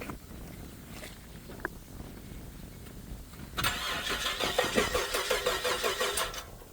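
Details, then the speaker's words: Car cranked right after a new battery and repaired battery cable terminal: starter turns steadily at about three turns a second but the engine never catches, because the fuel system wasn't primed first by switching the key to accessory. "reason why it didn't start on the first try um is because I didn't prime it um so you're going to hear that if you don't prime it"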